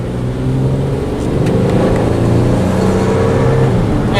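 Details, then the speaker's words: 2007 Ford Fusion SEL, 3.0L V6 automatic, about 173,000 miles, on road drive: normal acceleration, quiet smooth engine note climbing steadily, no weird shifting, no knocks or whine; healthy with good get-up-and-go. "Car is very quiet, which is very nice. No weird shifting. Engine sounds good. And it's nice that it's got the V6."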